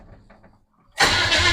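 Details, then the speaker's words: 1929 Model A truck with replacement engine, first test with no fuel supplied and ignition switch off: starter spins the engine briskly with no catch or firing; cranks but no start, no fuel. "the motor just won't have fire well that motor ain't going to have fire anyway because there ain't no fuel to it but we'll try it"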